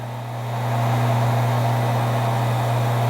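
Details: Centrifugal water pump motor run without its start capacitor (161–193 µF): loud steady low hum that rises slightly then holds with no speed-up, running below rated speed.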